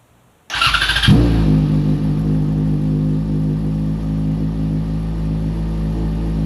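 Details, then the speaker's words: Yamaha FZ6R being rebuilt after a crash, started in neutral after the front end rebuild (new headlight, cluster, signals): short starter whir, catches within a second and settles to a steady idle, no knocks or misses. Normal start. "Alright, headlights on. We're rocking. I didn't fuck anything up. Alright, just a quick start there, guys."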